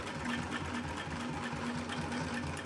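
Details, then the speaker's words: Global LP 9971 heavy-duty post bed wheel feed industrial sewing machine with roller foot and silent servo motor, sewing: quick even stitching patter, quiet motor hum, low vibration, no knocks or rattles; running smoothly. "This machine also, because of the silent servo motor, this machine is also completely silent when sewing and very low vibrations."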